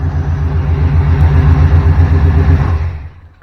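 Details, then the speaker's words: Old throttle-body-injected Chevy with crank-no-start, after replacing faulty relay with a used spare: catches and settles into a steady, even low rumble at idle with a regular beat, then dies away; sounds healthy. "I'll be darned if that thing didn't fire right up."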